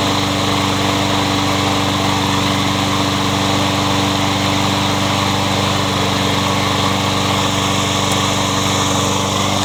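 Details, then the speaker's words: Troy-Bilt 21-inch self-propelled bagging mower, blade previously hit a railroad tie; after flywheel key replacement and reassembly, single-cylinder engine runs at a steady, even speed with no misses or knocks: good runner. "so I believe we have a good runner in"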